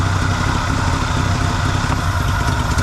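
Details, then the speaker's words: 1974 Chevy C10 dump truck small block, Edelbrock carb, timing advanced with vacuum advance on manifold port: smooth steady low idle rumble, no hunting or stumbling; normal idle after adding timing. "so it needs timing step one there you go don't even need a timing light to tell you that that's good"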